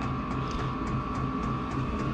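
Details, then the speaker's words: Vevor diesel heater installed in a cabin mechanical room with solar power, running at full output: steady fan rush with a faint, even fuel-pump ticking, strongly pushing out heat; normal operation. "It's really pushing out now. Pushing out the heat."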